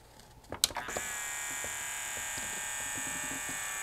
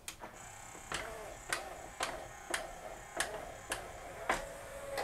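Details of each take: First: Yamaha CDC-697 5-disc CD changer, tray won't close: thin, steady high-pitched loading motor whir with no tray clunk, belt slipping from migrating manufacturing grease; fix is cleaning belt with acetone. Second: Yamaha CDC-697 5-disc CD changer after all loading belts cleaned of migrating grease with acetone and reinstalled: small motor hums steadily under light clicks about every half second, tray closes without stalling even when held back; works great.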